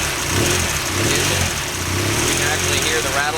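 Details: BMW F800 twin after installing a mechanical cam chain tensioner to cure the low-oil-pressure startup rattle, chain slack taken out first. Steady, even idle with no ticking or chain rattle from the timing side; the engine sounds healthy.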